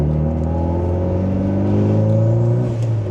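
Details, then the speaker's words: Mitsubishi Lancer Evolution 8, recently fitted new idle control valve that fixed idle surging, building boost on first drive down the block: engine climbs smoothly and evenly through the revs, no misfire or stumble; healthy under acceleration, some blue smoke noted. "Oh, that sounds so good. I'm so excited for this car."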